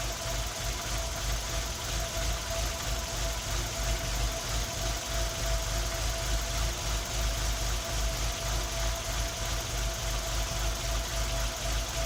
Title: Tino misfiring